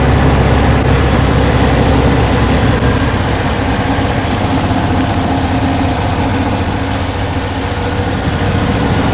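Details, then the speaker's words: 1968 Porsche 912 flat-four during revival service: lumpy, uneven idle that rocks and hunts instead of settling; timing to be checked next, cause unconfirmed; rough idle. "As you can hear, she's still a little rocky. Jumping around a little more than I like."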